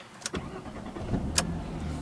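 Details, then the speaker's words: 2001 Jaguar X-Type 2.5 V6 petrol manual, just after replacing the starter motor: brief clean crank, catches at once and settles to a smooth, steady idle with no starter grinding; normal engine start. "Oh, that is so sweet. There's always that worry that you do it and it goes and you haven't set it up properly. That sounds like it's running really nicely."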